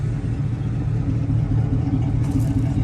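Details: 1960s classic car, owner pretty sure it has the stock 289 cam with a small lobe: deep steady V8 burble at idle with a slight uneven chop, about two beats a second; healthy normal idle.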